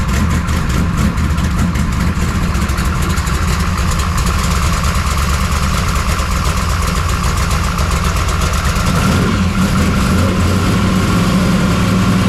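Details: 1969 Camaro pro street V8, cold start after Holley carburetor rebuild; loud lumpy idle, deep uneven burble, no clear knock; owner suspects ignition timing super retarded, headers smoking hot, rough idle.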